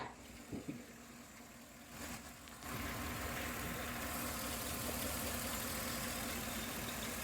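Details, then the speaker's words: 2011 Chevrolet Tahoe V8, check engine light, running rough, constant cylinder 3 (non-AFM) misfire after new plugs, wires and coil: idle stumbles regularly about four times a second, some noise but not a typical GM lifter tick; injector or internal fault suspected. "Now it definitely is missing, and it is making a little bit of noise, but it's definitely not your typical GM lifter and tick, so it is kind of weird, but I think something else might be going on."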